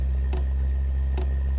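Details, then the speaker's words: Webasto Dual Top diesel heater run without its ECU, using simple controllers, as the burner lights. Sharp ticks about 0.85 s apart over a steady hum, normal pump pulsing. "Now I'm going to give it a bit more fuel, which you do by reducing the off time. So the fuel is starting to get faster."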